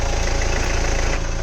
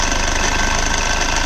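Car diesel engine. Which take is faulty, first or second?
second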